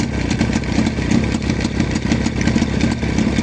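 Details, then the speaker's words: Jawa 638 two-stroke motorcycle at idle after fitting a chain tensioner: light irregular clatter over the exhaust note from the clutch side, suspected chain hitting the left crankcase cover; tensioner did not cure it, cause unfound. "был такой звук звук бряканье ощущение такое что цепь бьётся об крышку левый крышку картера"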